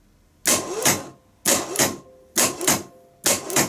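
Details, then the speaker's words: Bosch starter motor (from BMW 740 M60 / Jaguar X300) on the bench, 12 V applied to the solenoid terminal only: four sharp double clicks about a second apart, snapping in and releasing quickly; solenoid engages crisply and works fine. "you can hear a solenoid click so this solenoid is okay it's Snappy it's fast"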